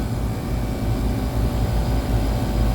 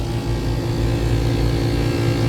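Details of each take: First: Split-system AC compressor on second stage, undercharged (5 of 7 lb 8 oz refrigerant added); steady deep hum with even low throb, no knocks or squeals, running the right direction; normal running. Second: AC unit compressor restarted after tripped breaker, 3-phase 209 V: heavy rough droning hum with uneven churning rumble, sounds like running backwards; contactor found burnt and not pulling in, compressor worn and labouring.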